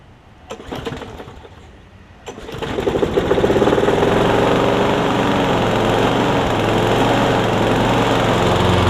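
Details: Frankenmower: Craftsman Briggs & Stratton engine on a Husqvarna deck, carb jets cleaned of clogging, new blade and oil: starts after a few seconds, settling into a steady, even single-cylinder beat with no misfires or surging.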